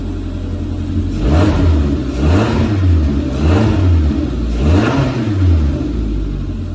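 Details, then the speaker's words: 2020 Suzuki Jimny JB74 automatic, first start after a DIY TORQIT performance exhaust fit, engine cold: even blips about once a second with a deep, smooth note rising and falling cleanly; normal cold running through the new exhaust. "Go, it's running cold. Doesn't sound like shooting anymore, does it?"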